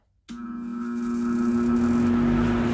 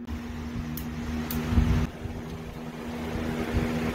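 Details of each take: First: Cheap box fan on high powered by a Craftsman 20V 150W battery inverter (about 101-103 V AC output) while also charging a tablet: strong steady electrical hum over the airflow, absent on a normal wall outlet; fan motor hum on inverter power. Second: Craftsman 20V 150W battery inverter under a stress test through a splitter, powering a box fan on high, an LED bulb (about 10W) and a charging tablet: steady fan drone with a low hum, running evenly with no bogging; normal operation.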